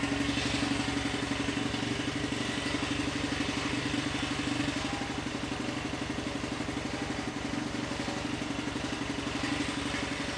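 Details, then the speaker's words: Tillotson 236R two-stroke, engine number one of two spec builds, first start on the dyno: fires up easily and idles steadily at a fast, even patter of about four beats a second with no stumbles; normal, healthy idle. "Well, that's a bit of a milestone that is. So, yeah, it seems to fire up pretty easily."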